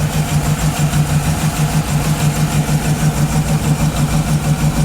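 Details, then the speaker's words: Cheap auction GMC Yukon idling after battery reconnect, with good oil pressure: idle lopes about three beats a second, no knocks, taps or rattles; a slight misfire or possibly an exhaust leak is suspected, but it starts first try and runs pretty good. "Feels like it's got a little bit of a misfire, maybe an exhaust leak, but it starts up first try and runs pretty good."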